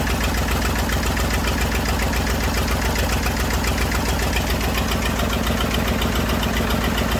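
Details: Massey Ferguson 35 diesel tractor, sat in woods 20+ years, first revival start with leaking radiator, water and fuel leaks: steady, even clatter holding a constant low idle, no misses or surging; running fine.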